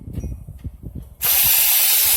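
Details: $7 scrap Razor electric scooter on its stock batteries (one appears stabbed): after handling knocks, a steady high hiss-whine comes on and holds even; the hub motor spins freely and batteries seem powerful.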